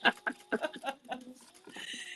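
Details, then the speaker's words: Sewing machine knee lifter in use: short, high chirping squeaks each time it is pressed, thought to need WD-40 because it is dry. "If you hear the little squeak, I that's my heard knee the lifter little, every time."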